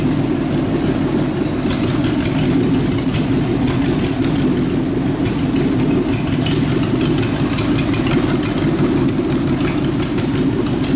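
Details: Rat rod truck idling with a York AC compressor converted to a belt-driven air pump for an air-bag suspension, building tank pressure, switch set near 100 psi; steady even low rumble, no knocks or misses, normal idle.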